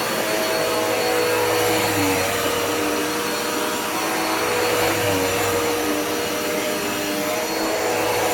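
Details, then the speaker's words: Dirt Devil Powermax upright vacuum runs with a strong even motor whine and steady airflow rush, no choking or surging; normal running after a clog was cleared. "uh let's see this is what it sounds like now much better"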